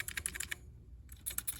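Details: Commodore SX-64 keyboard: one key gives quick, crisp clicks in two short bursts with no drawn-out squeak, a normal key action, compared with a badly squeaking key.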